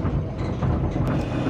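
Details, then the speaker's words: Daihatsu Gran Max van at 111,000 km accelerating in third gear: deep, uneven rumbling and strong vibration from the rear underbody; driver suspects a mount is hitting something, later found to be a broken transmission mount. "Itulah suara bisingnya, teman-teman. Jadi, ketika saya berakselerasi di gigi tiga, suaranya menjadi cukup keras. Dari pengamatan saya, kemungkinan dudukan tersebut menyentuh sesuatu."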